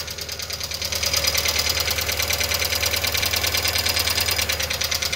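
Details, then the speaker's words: Volkswagen Fox 1.0 at idle, 33 degrees, oil pressure above three bar: quick, even light ticking from the top of the engine, about three taps a second; likely the hydraulic lifters, needs teardown to confirm. "tem pressão de óleo tá apresentando o barulho bem provável que seja tucho aí tá tem que tirar aqui para examinar"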